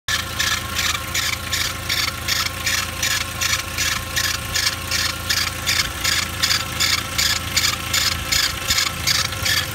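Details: 2.0 Mk4 Jetta with timing belt and OEM tensioner replaced under a year earlier, engine cold: harsh, pulsing high-pitched squeal over a low idle from the failing tensioner; squeal went away once warm, tensioner replaced under warranty.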